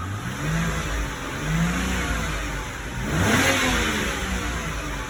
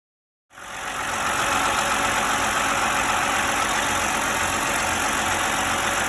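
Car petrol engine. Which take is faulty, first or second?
second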